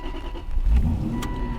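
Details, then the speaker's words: Aston Martin Vantage V8 Roadster bought at auction: a brief crank catches cleanly and settles into a smooth, even idle with a dash chime. Runs great, no warning lights apart from e-brake and TPMS; healthy start. "Runs great. No warning lights on the dash."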